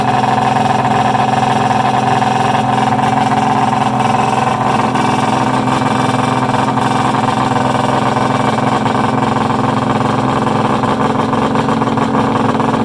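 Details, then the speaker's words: Freshly built Polaris 800 Storm mega-mod two-stroke triple, run outdoors. A steady, busy note revving evenly with a couple of brief pops; backfiring, and the throttle cable is hitting the built-in kill switch. "pretty exciting huh god that was awesome a couple little backfires there"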